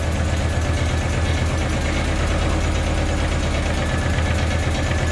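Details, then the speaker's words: 1985 Audi Coupe (Type B2) idling while the ignition timing is set, after a compression check, new plug wires, fresh gas and injector cleaner: uneven, lumpy stumbling misfire; one plug later found heavily carbon-fouled. "So next step is just to check the timing, and then after that I'll probably have to pull the injectors if that doesn't take care of it. Still has a really bad misfire."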